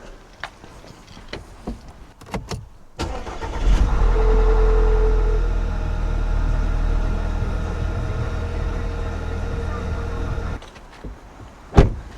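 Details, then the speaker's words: Audi A4 2 litre TFSI first start after timing chain replacement, not yet at operating temperature: starter cranks briefly, then the engine catches and settles to a steady, even idle with no ticking or rattle, normal start and idle. "She runs fine."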